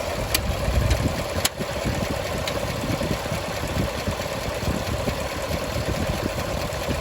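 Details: 2017 Chevrolet Silverado High Country 6.2 V8, warmed up after AFM lifter replacement: fast, light irregular tick over the idle, only when hot and continuing after shutoff; suspected defective or backwards-installed head gaskets restricting coolant, sound from the cooling system, to be redone.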